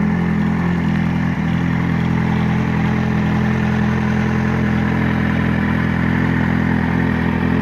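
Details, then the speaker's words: Kawasaki Z750 inline-four at idle after fitting an aftermarket sport exhaust: faint even tick about four per second that sounds like valve tapping but is an exhaust header leak, the header cracking from vibration at its mounting. "começou um barulhinho igual batendo válvula. Não é batendo válvula, é esse barulhinho do escape aí."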